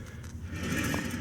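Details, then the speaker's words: 2004-2009 Nissan Quest rear hub spun by hand with brake pads removed; dry rough scraping rumble indicating a bad rear wheel bearing. "but it's really noticeable. We shouldn't be hearing anything there. So that clearly tells us that this wheel bearing is bad."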